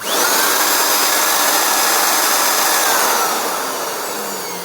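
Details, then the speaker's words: NuTool Impact Air 1.5 hp mini air compressor: only a high, airy cooling-fan whoosh spinning up and fading, with no pump thump. The drive belt slipped and then failed, so the compressor isn't driven. "it's just the fan noise."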